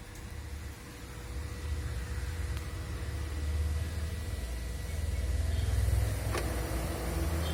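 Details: 2015 Toyota Prius Alpha, 91,000 km, AC running: steady low drone with a thin constant whine over the car's hum; loud AC compressor noise, worse when outside temperature is very high.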